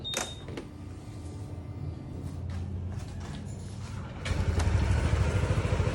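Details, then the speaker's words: Honda PCX 160 MC taxi, 82,904 km odometer, after engine overhaul (new block and piston, still breaking in): quiet start, then an even, regular beat with no knocking; back to its old quiet sound. "Ayun mga sir, bumalik sa dating tunog. Tahimik na ulit."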